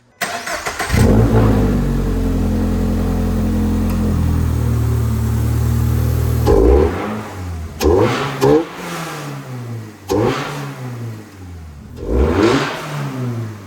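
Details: Toyota GR86 with catback and newly fitted MST intake keeping factory snorkel: engine catches, settles to steady idle, then several quick blips rise and fall smoothly with clear intake roar. Healthy free rev.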